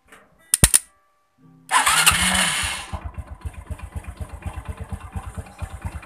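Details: Supra X125 that won't start despite new battery, starter motor jumped directly bypassing the relay; short bursts then steady whirring crank with even pulses about three per second; starter motor works fine.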